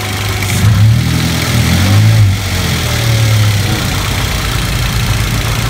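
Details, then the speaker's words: Toyota Avanza/Daihatsu Xenia at idle: low steady hum with a faint whine, like a crying baby, that climbs when throttle is blipped; alternator suspected, possibly worn brushes, voltmeter around 13 V and dropping; not confirmed. "gas suara dengungannya kayak gitu"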